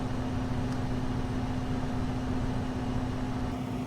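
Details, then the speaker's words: Two-ton heat pump air handler blower with newly installed Fan Handler HP-240, cooling running, supply air about 56°F; smooth even fan rush with steady low hum, speed picking up slightly, no rubbing: normal blower operation. "as you can hear the fan speed has picked up a little bit"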